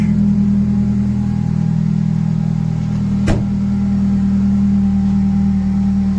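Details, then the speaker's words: Honda Civic FN2 with K20 intake manifold, J35 throttle body, homemade air intake and new oil catch can; first start-up after install, no dash lights, no leaks; steady even idle with one brief click, no misses or knocks. "Okay. Perfect. Running perfectly, no issues."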